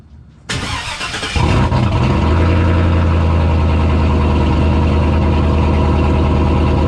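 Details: Vehicle after a repeat fuel pump swap that fixed a loss of fuel pressure: brief crank, catches cleanly and settles straight into a steady, even idle with a smooth low rumble; starts and runs normally.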